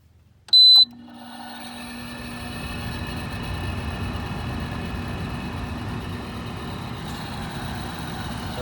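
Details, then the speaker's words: Frigidaire LAD254NTL automatic dehumidifier, about a decade old, just cleaned with coils sprayed and reassembled. At power-on a short beep, then a smooth swelling fan hum and steady airflow with no rattle or squeal. Fan motor healthy, compressor not yet started. "that fan motor sounds really great now we just have to wait for the compressor to"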